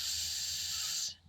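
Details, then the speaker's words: Van parked in the desert, coolant stream found by the tire: sharp steady high hiss then cutoff, pressurised coolant escaping from a freeze plug the mechanic had not replaced. "I'm like what is this and a stream of water was down by the tire so you know me I mean I get up underneath the van and take a look at it and there it is coming from one of those what is it a freeze plug"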